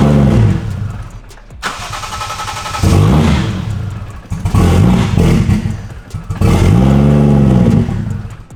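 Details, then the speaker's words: Lexus IS300 with 1JZ swap, aftermarket ECU Master, drive-by-wire throttle issues, check engine light for IAT and drive-by-wire: cranks, catches, surges unevenly, revs rising and sagging, no steady idle; owner suspects drive-by-wire setting, cause unconfirmed. "Probably not happy because it's like technically drive-by-wire and it doesn't like that."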